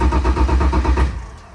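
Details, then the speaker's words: Crashed BMW E46 drift car that sat for months: quick steady cranking beat for about a second then winds down without firing; turns over fine but never catches. Owner suspects it is out of gas. "I heard a little bit I heard it on like wanted to start bro anyways it's not gonna start I think it's out of gas guys"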